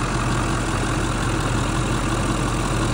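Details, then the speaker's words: Ford 7.3 Powerstroke turbo diesel van camper conversion, 131K miles, about 1999 or 2000 (owner unsure), deep steady idle with even clatter, no misses or knocks; runs great, sounds as a Powerstroke should. "turbo diesel engine power stroke um and it's in great shape I mean it runs great sounds like a power stroke should sound"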